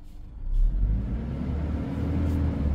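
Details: High-mileage, dealer-serviced 2016 Toyota Innova 2.0 during a used-car inspection; deep smooth rumble climbing as the throttle opens, then holding steady without knocks or ticks; engine revs cleanly and sounds healthy.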